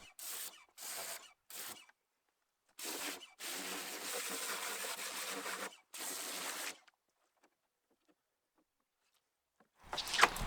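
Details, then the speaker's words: Pressure washer used while cleaning a 2011 Fiat Punto Evo's engine bay, pump cycling on and off, likened to a seagull being kicked: hissing bursts cutting in and out about every second, normal pump cycling. "Just for reference, what sounds like a seagull being repeatedly kicked is the pressure washer cycling on and off as I'm using"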